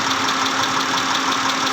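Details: 2010 Mitsubishi Pajero, 6G74 V6, at idle: a quick, steady knock ticks evenly with no change in speed; internal engine knocking, cause not yet known.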